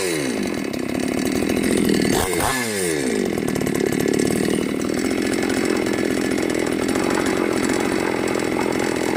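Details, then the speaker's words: New Magnum G11 chainsaw after removing the carburettor neck spacer and reassembling: revs climb and fall smoothly with no bogging or stalling; normal acceleration, no-power problem fixed. "เมื่อกี้ที่เร่งแล้วเหมือนน้ำมันไม่ขึ้นเร่งแล้วดับมาเปิดสวิตช์ลงล่างยเล่งได้ปกติ"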